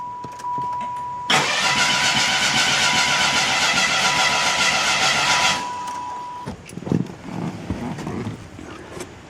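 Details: 1995 Oldsmobile Cutlass Supreme convertible, bought non-running: starter spins the engine at a fairly steady three to four beats a second for about four seconds without firing, fuel pump relay pulled; owner suspects cams out of sequence, not confirmed.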